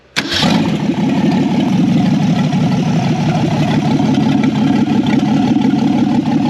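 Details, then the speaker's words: 1964 Ford Falcon four-door, six-cylinder, three-speed column shift, sitting since 1984–85, first start on a jumper wire to the coil with fuel into the carburetor: cranks, catches at once, then a steady, even, throaty run through a loud open exhaust. Runs normally. "That sounds pretty good. I don't know who built that carburetor."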